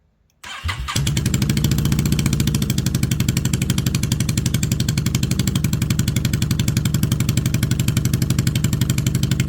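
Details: 2002 Yamaha V-Star XVS650 after carburetor resealing and fuel refill: brief crank, then an even, loping twin-cylinder idle without misses or knocks. The carbs no longer leak.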